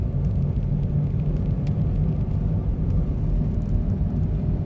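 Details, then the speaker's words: 2005 Smart ForFour, about 93,000 miles, driving at roughly 16–30 mph: steady deep droning hum under road noise, worse with speed, worsening over 4,000 miles; worn front wheel bearing. "So just over the next roundabout we'll get up to about 30, and then you can hear the noise coming quite strong."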